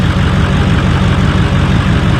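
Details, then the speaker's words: Ford 6.0 Powerstroke diesel truck, start after glow plugs and fuel pump: uneven lumpy idle with beats dropping out, sounds like it's missing, smoking a little; rough idle, cause unconfirmed. "It sounds bad. It sounds like it's missing, but it starts."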